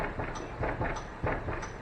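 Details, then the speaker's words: 2500 HD torsion-bar IFS pickup lifted with jack correctly placed, wheel rocked: dull clunks about every two-thirds of a second from loose play in a badly worn upper ball joint about to fall out. "can you hear that that is one of the worst upper ball joints"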